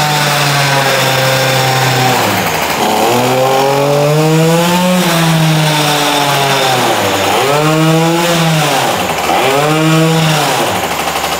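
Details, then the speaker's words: Tuned Peugeot 103 moped two-stroke revving with the new special exhaust fitted: a loud metallic rattle like steel balls in a pan comes from the front of the engine, not the exhaust, with a steel-on-steel clatter over the rising and falling revs. "前方では依然として非常に大きな音が聞こえます。排気口ではなく、前面です。まるでフライパンの中に鉄球が入っているような音がします。鋼鉄と鋼鉄がぶつかり合うような音が少し聞こえるかもしれません。"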